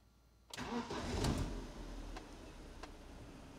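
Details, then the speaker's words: BMW E46 compact, 2.0 N42 engine, after replacing a bad ignition coil with a known-good spare: short crank, engine catches at once and settles into a smooth, even idle with no misfire stumble; normal start. "so the engine starts just fine now let's give it some gas"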